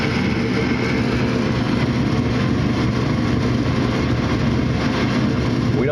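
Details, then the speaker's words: Gas furnace igniter test with door switch pushed in: only steady inducer motor hum, no ignition click, igniter not glowing; fault in the igniter circuit suspected, not confirmed. "We don't see the the igniter glowing. So, there's something going on with it."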